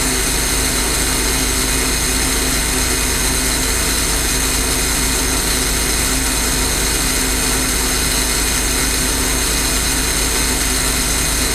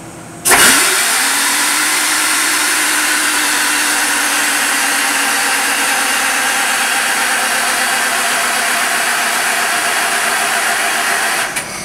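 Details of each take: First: J. G. Brill gasoline motor car 120, interurban rail car, after alternator replacement: steady fast even beat with bright mechanical clatter; engine now running normally. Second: J. G. Brill gasoline motor car 120, ignition on, fan running, starting spray used: long labored eleven-second crank that never catches; no start, battery down to about 9–10 volts, low battery suspected.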